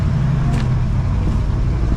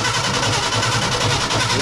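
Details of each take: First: 1968 Ford F100 Ranger V8, abandoned for years, after ignition repair with points and correct condenser and air-fuel adjustment, possibly still cold: deep steady rumble with an even beat, no stumbles or skips; smooth idle, more tuning needed. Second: 1968 Ford F100 Ranger V8, abandoned for years, first run on fresh fuel and old battery: rough uneven running with stumbling beat and dropouts, skipping; suspected points and wrong condenser.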